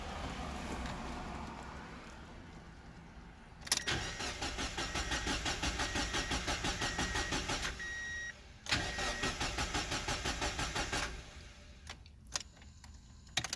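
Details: Engine swapped to an OEM ECU: two bursts of even starter cranking at about three turns a second that never catch. Crank no-start caused by too large a crankshaft sensor to timing tab gap; a credit-card gap is correct.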